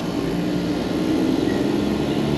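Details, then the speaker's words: Packaged three-phase AC unit after correcting the reversed phase order: steady, even drone with low hum and fan rush, no knocking; scroll compressor now pumping normally, pressures dropping, suction 58. "oh it's actually doing something now oh look at that that was so strange"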